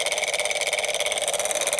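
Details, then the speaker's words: Old Kwik Kool oscillating yard-sale fan, oiled with 30-weight non-detergent oil: steady motor hum with fast even flutter and loud hiss, runs rough and noisy; noisy fan motor. "but yeah it's noisy as a too which i didn't want"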